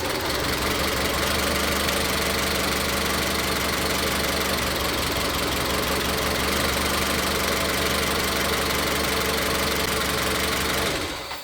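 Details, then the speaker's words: Engine with ignition misfire, individual coil connectors unplugged one at a time to locate it: loud idle stumbling with an irregular chuff about four times a second, never settling; misfire found on cylinder 3. "En este caso, claramente vimos que la falla de encendido viene en el cilindro tres."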